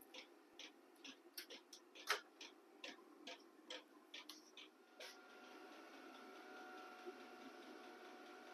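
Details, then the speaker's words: Battery-powered 12 V diesel heater in a container workshop, pump set at H2 (range H1–H6): sharp, evenly spaced ticks from the fuel dosing pump, then steady fan hum; normal operation. "that clicking noise is the pump and right now I've got it set on um hopefully this shows up in the video but I've got it set at H2 and I think it goes from H1 to H6"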